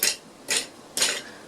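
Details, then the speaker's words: Bicycle pre-service check: hand-spun pedals give a dry, scratchy rasp about twice a second, bearings dry, noisy and not spinning free; dry, rough pedal bearings. "little bit dry and noisy, not spinning free."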